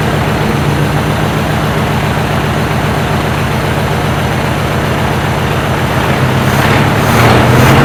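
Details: 1968 Chevy C10 small-block V8 just revived after sitting 15–16 years on old fuel: steady, even low rumble with regular beat, no misses or knocks; good oil pressure, healthy settled idle, maybe needs a touch of tuning.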